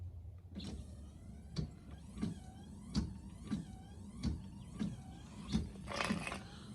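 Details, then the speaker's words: 2014 Honda CR-V front wipers on high speed after replacing the front wiper motor for slow wipers: quick, even sweeps about every two-thirds of a second with soft motor hum and clean reversal, no binding. "And it's working fine. All right, can you do it faster?"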